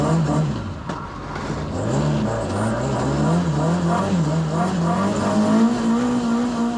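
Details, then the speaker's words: Ford ST170-powered Mk1 Escort driving off after fixing two swapped HT leads that had it running on two cylinders: pulls cleanly as revs rise and fall, even beat, no stumble; now idles and runs sweet on all cylinders. "but yeah she runs sweet now she idles sweet"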